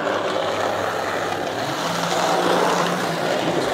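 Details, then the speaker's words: Lima Class 55 Deltic model loco, secondhand non-runner, after cleaning and oiling: runs but loud steady whirring buzz; very noisy. "well it runs fine but it is very noisy uh which surprises me actually that's that bad"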